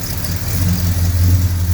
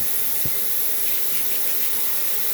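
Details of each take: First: Mopar V8 with headers after new gaskets and welding the header pipes: deep, even rumble rising smoothly with revs, no ticking or puffing, weld not blowing and much quieter; exhaust sealed, no leak. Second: Mopar engine with headers, engine off, exhaust pressurised by a vacuum hose blowing into the tailpipe: a steady airy hiss of air escaping at the header-to-head manifold joint on one side.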